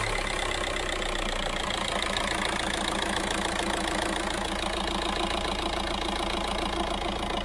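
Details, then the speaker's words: VW Caddy diesel at idle after a solid single-mass flywheel conversion with a new clutch kit: even, steady clatter with the previous knocking/rattling noise gone, so it sounds like a normal healthy idle. "the skeleton doing his thing in a biscuit tin as many of you called it it's gone no knocking noise just a very sweet sounding diesel happy with that ideal"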